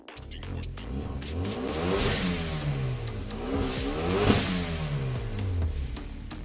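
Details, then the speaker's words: 2014 Hyundai Veloster Turbo, automatic, muffler section cut out and replaced with a straight pipe: engine revs rise and fall sharply with a raspy, booming exhaust note throughout; loud exhaust from the muffler delete. "They cut it over here, from there, and add it to here. So that's why it sounds like that."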